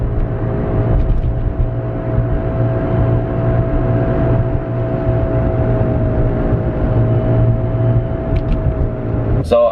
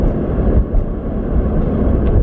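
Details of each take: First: Nissan 350Z driving: a steady mid-pitched whine over road rumble that rises with speed and gets very loud on the highway, from a worn rear wheel bearing, fixed by replacing the bearing. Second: Nissan 350Z after rear wheel bearing replacement, interior at about 35–40 mph: steady low road rumble with no whine; previously a whine began around 40 mph and grew louder with speed, very loud on highway.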